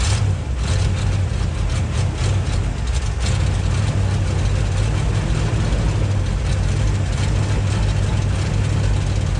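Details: 1958 Chevy Biscayne first running after years of neglect: low, lumpy, uneven idle that seems to miss; runs rough, owner plans to check firing order, cause unconfirmed.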